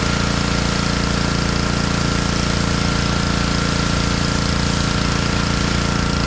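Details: Honda pressure washer that sat all year in a basement, after cleaning a carburetor that had a little water in it: fast, even pulsing thump about 3.5 beats a second, steady level; engine and pump healthy under load.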